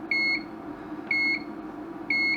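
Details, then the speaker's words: Broken 2008 LED dot-matrix scrolling sign powered from a bench supply at 5 V, 2 A: a constant short high beep about once a second over a faint hum, with an occasional flash on the display. "all right so it appears we've got a constant beeping"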